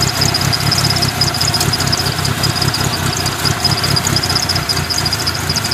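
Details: 1997 Mitsubishi Eclipse RS idling rough and shaky, with an irregular low pulse and a thin high chirp on top; it also overheats when sitting still but runs fine when driven; cause unclear.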